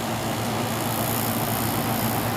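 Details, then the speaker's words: Cheap Chinese-made Samsung window air conditioner, a dumpster find, running. Switched to cool, the compressor kicks right on with a steady, even hum under the fan rush and no knocks; normal running, with air starting to cool. "let's go over to cool and see what we got on cool our compressor is kicking right on"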